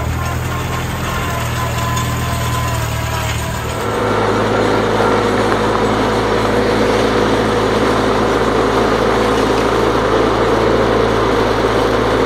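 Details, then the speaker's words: 1955 Farmall Cub tractor after transmission oil change: steady low engine drone, even beat near four per second; earlier torque-tube vibration gone, tractor and transmission running normally. "it was sounding it was some vibration coming out of the torque tube and now there's nothing it just sounds normal"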